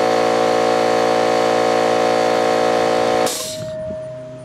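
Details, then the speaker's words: Old Brute air compressor with a leaking unloader valve (check valve replaced, no change), running after tank emptied via safety valve: loud steady drone with hard rattling clank and clatter, then cuts out with a pressure-release hiss; worn pump suspected, not confirmed. "Now if you listen, you'll hear some clanking and clattering and all kinds of good shit."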